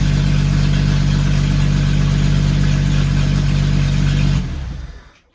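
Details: Jeep YJ after a 4.2 to 4.0 engine swap with AX15 transmission, first start: deep, smooth, even idle with no knocks or misses through a loud exhaust, oil pressure over 50 psi; engine healthy.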